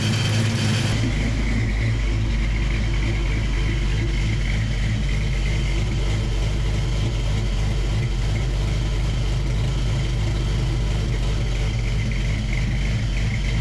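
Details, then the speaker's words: Foxbody Mustang with freshly built 306 HCI engine, first start-up after fixing a water leak: steady, even idle with smooth low rumble and no knocks or misses; running cleanly. "seems to be doing pretty good doing pretty good guys"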